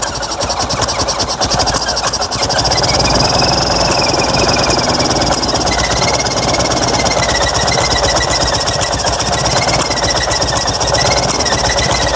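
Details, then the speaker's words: Fiat 126p (Maluch) engine on 92% denatured alcohol instead of petrol, cold, very low compression: uneven lumpy idle with irregular stumbles and buzzy rattle, running rough and misfiring; owner hopes it settles when warm. "mu nie pasuje tam może się rozgrzeje i zacznie chodzić"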